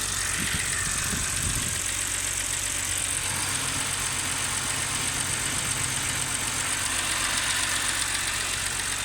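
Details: BMW E91 330i N52B30 petrol six at idle, engine shaking: irregular low thump under strong hiss; cylinder 6 misfire code, occurs at low fuel tank level, unchanged after new Bosch spark plugs.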